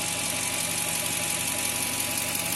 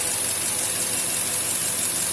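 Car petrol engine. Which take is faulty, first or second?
second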